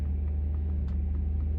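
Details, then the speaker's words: Saab 9-3 Aero Sport Combi 2.8 after replacing all ignition coils and spark plugs to fix a misfire: steady, even low idle rumble with faint light ticking, previous burbles gone. "That engine sounds 100 times better. 100 times better this car sounds."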